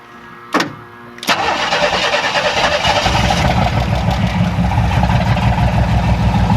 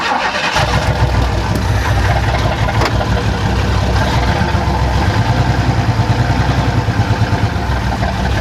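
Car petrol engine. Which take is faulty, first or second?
first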